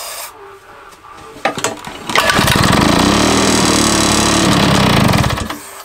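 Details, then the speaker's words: Mountfield Emblem two-stroke lawn mower with a makeshift copper-sheet bearing: cranks, catches and runs ragged about three seconds then dies; keyway fine, firing, but timing all wrong; fires but will not keep running. "that keyways fine it's firing this timings all wrong"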